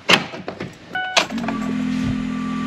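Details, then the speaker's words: Powerstroke diesel-swapped Ford Bronco build, power door locks operated by key fob: two crisp actuator clunks about a second apart, then a steady pump hum; locks working properly. "everything in the dash works as it should even the key fob yeah I can unlock and lock the doors with the key"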